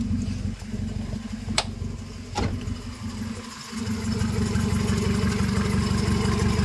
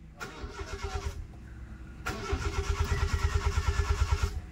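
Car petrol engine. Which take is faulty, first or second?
second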